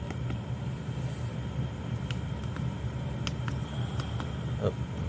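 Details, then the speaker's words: Chinese Webasto-type diesel air heater about four minutes after start, setpoint 17 degrees, running at full power before a controller-link cut test. Steady low hum with smooth even burner roar and a few light clicks: normal operation. "non de 17 degrés belmahi sort on l'entend très bien tourné"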